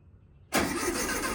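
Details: 1969 VW Beetle first start in 33 years after cleaning points, rebuilding carburetor and rigging a makeshift fuel tank: quiet, then catches abruptly into a steady air-cooled running note; clean first start.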